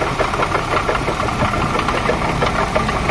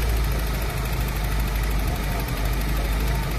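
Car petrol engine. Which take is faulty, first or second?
first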